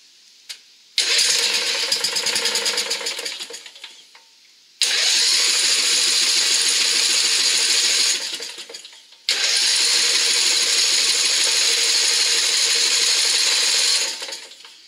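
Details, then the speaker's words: Briggs and Stratton riding lawn mower after carburetor cleaning and oil change: three long cranking bursts with steady starter whir and no firing; no fuel reaching engine because the main jet was reinstalled from the wrong side. "getting no fuel at all now. So I had to tear back into it to see what the problem was."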